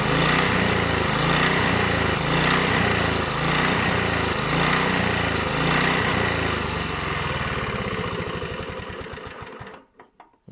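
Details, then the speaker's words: Honda GV150 mower engine rebuilt (engine reassembled, transmission not yet), runs a steady even chug, then slows unevenly and stumbles almost to a stop when snapped back to idle too quickly; owner says it dislikes that, just a small adjustment. "je la passe trop vite au ralenti elle aime pas bon c'est un petit réglage"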